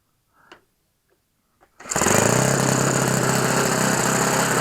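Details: OS FS 91 Surpass 15 cc methanol four-stroke, rebuilt with a new ring and an epoxy-repaired exhaust, on what is thought to be a Graupner 14x7 prop; clicks, then a steady buzzy high-revving run. Deliberately very rich to break in the ring, with some vibration, which is normal.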